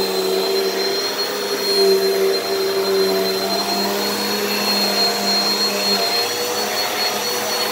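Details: Repaired Hoover upright vacuum running and said to be working just fine: an even, steady motor whine with a constant high tone and no surging, rattling or choking. Normal running.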